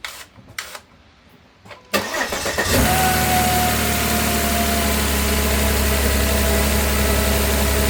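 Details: Volvo starting after new upstream oxygen sensors were fitted: short crank, catches at once, settles into a steady even idle with a faint constant whine; no check engine light, both sensors working, running smoothly.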